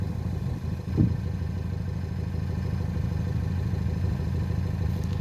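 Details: 1.6 THP direct-injection petrol engine (Peugeot/Citroen/Mini) smoking blue oil smoke with high crankcase pressure blowing oil past the valve cover; stumbling idle with an irregular low chuff about three times a second: misfire.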